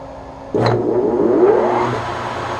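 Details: Webb Whacheon lathe on a phase converter at the 510 rpm setting: thump at switch-on, then a smooth rising hum settling into an even steady run; healthy start, no converter trip.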